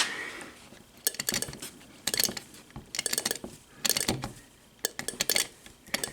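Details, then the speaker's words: VW ignition on a test bench with distributor, used plugs and wires, blue coil instead of the stock coil: bursts of sharp snapping crackles, spark arcing inside the distributor cap. The blue coil gives a stronger spark. "you can hear it arcing in the distributor cap so it does make a stronger spark using a blue coil over a stock standard coil"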